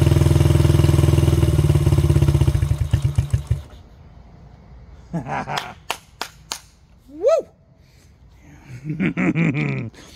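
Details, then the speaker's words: 1985 Honda XR80R, long unrun, started with a squirt of fuel: small single fires and holds a steady rapid putter for about three seconds then dies away; normal running. "will it run yes it will oh my God"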